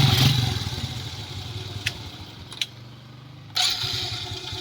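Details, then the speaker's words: Smash 115 with a Wave 100 carburetor conversion, stock mixture unadjusted: a revving engine dies down, a couple of clicks, then it fires on the first try and runs steadily; normal start. "Isa pa. Paanda rin natin. One click na one click."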